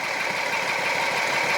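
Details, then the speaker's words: 2007 Jeep Wrangler Rubicon Unlimited, 3.8 V6, code P0302, barely any spark at cylinder 2 coil: lumpy, uneven idle with one cylinder dropping out under steady clatter; misfire from bad coil pack, fixed by replacing the coil. "so now I know it's sparking so that's telling me that all the controls are going it's actually working but I'd say we have a bad coil"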